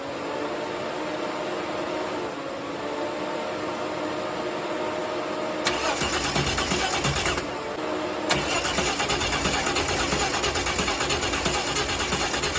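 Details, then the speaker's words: Holden Torana, first start after refitting the manifold back from the machine shop, new linkage and fuel/vacuum lines: steady starter cranking rising to a busier churn, but the engine never catches; it is getting no fuel yet. "Yeah, no fuel yet."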